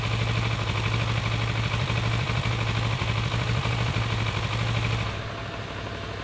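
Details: Kawasaki ER6-n twin, completely warmed up after 30 minutes of driving, idling stationary: loping, uneven beat about three pulses a second that stumbles now and then; unstable idle, owner suspects a misfire.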